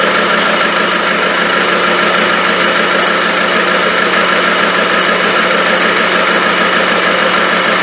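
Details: Land Rover 300Tdi diesel, freshly rebuilt, first start-up with no turbo hose, no belt, alternator or power steering pump fitted: even running with a light, high chirp from the front as the shield behind the main pulley catches the aluminium housing.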